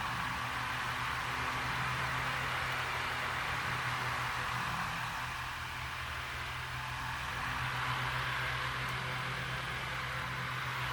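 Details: Lasko fan that was noisy at power-up, after blade balancing: an even, steady motor hum with a smooth airflow rush and no wobble or rattle; normal running.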